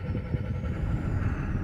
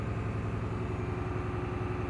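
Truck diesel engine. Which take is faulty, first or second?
second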